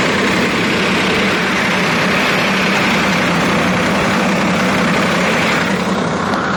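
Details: 2005 Range Rover with BMW V8 (M62-type): constant metallic rattle and hiss at fast idle, timing error code; VANOS, chain and tensioners replaced without fix; clogged oil check valves from oil filter debris starved VANOS, clearing them fixed it.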